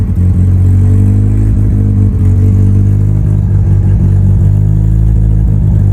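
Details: Mitsubishi Evo before dyno prep, cold engine, first start of the day after installing both fuel pumps; loud, deep, steady fast cold idle with even firing, no misses or stumbles. Normal cold idle after repair.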